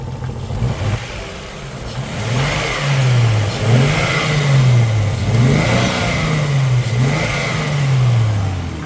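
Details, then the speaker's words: Nissan Skyline R32 with RB20 single-turbo engine, revved from the engine bay: several smooth blips rising and falling cleanly, back to an even idle with no knocks or rattles; still sounds healthy, probably just needs a tune-up. "She still sounds pretty healthy. All right, but probably just needs a tune-up."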